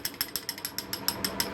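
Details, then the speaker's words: Half-HP peripheral water pump on start-up: sharp, even ratchet-like metallic clicks about six or seven a second from the impeller rattling loose on its worn splined shaft; the noise can fade once water flow steadies the impeller. "vamos a observar el juego que tenemos aquí Este es el sonido que ustedes escuchan esta bomba de agua"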